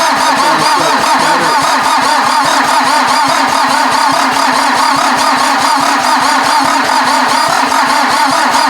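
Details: VW diesel in an offroad Mazda cranked on jumper cables from a truck to the starter, no battery: steady cranking about seventy beats a minute, never fires; number one glow plug missing.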